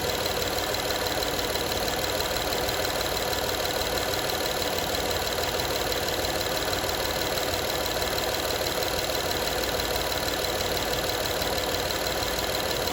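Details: Honda Odyssey 2012 at idle: a light, fairly quick metallic rattle, about three a second, over a steady idle; owner asks what needs fixing, source of the engine rattle not pinned down.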